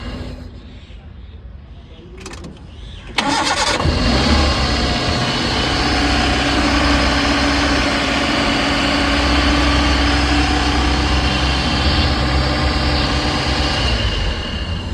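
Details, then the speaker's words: Eco car after engine change would not start (no spark current at plugs; crank sensor replaced without effect); burnt wiring repaired and ECM fitted; now a short crank, catches at once and settles into a smooth, even idle: normal start and idle. "अब start करके देखते हैं इसे। गाड़ी start हो गई है। Out time से स्टार्ट हो गई गाड़ी।"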